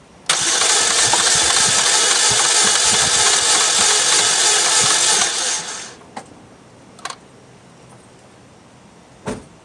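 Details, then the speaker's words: 2007 Saturn Vue four-cylinder, compression test on cylinder two with oil added: light, quick, very even cranking, never catching, no heavy compression beats; reading below 30, engine problem, possibly head gasket suspected; low compression. "so this one did move below 30. so i'm not even going to do the other cylinders because we already know that we have an engine problem in this car"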